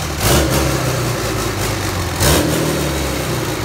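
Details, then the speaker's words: 5.9L Cummins Common Rail diesel running on the shop floor on a stand-alone harness (ECM powered directly, fuel pump engaged); steady, even diesel idle with a smooth low rumble, no misses or knocks: normal idle. "and then i've got a wire that i just i'm going to send power to and the truck the motor will start and should sit here in idle"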